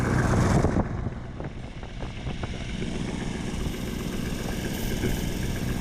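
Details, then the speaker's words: 1984 Ford LTD Crown Victoria V8, after a new carburetor gasket to fix a vacuum leak causing backfiring: brief spray hiss of brake cleaner, then steady even idle with no surge or speed change; vacuum leak fixed, normal idle. "I hear no change so I'm going to say we got that vacuum problem fixed uh for about $4 with a new gasket"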